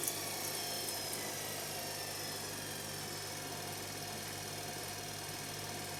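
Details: Electra ELEC1647A3 washing machine motor, about 10 wash cycles after new carbon brushes: high thin whine sagging in pitch over a rough buzz as it loses power; damaged commutator, motor dying, needs new motor.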